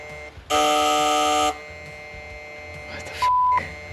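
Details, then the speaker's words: Foxbody restomod with Gen 2 Coyote V8 at key-on after flashing a base tune: harsh electrical buzzing bursts then short steady beep; relays chatter; reflashing stock tune didn't fix it. "All right. I really hope What the is that noise? All right, before I start this thing, I want to figure out what the hell that noise is."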